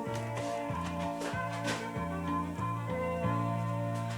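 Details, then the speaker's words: Bush BR 5902B radio cassette player playing music dull and boomy with almost no treble or crispness, muffled audio output heard before the tape heads and pinch roller are cleaned. "Sounds muffly as fuck, that, guys. That doesn't sound good."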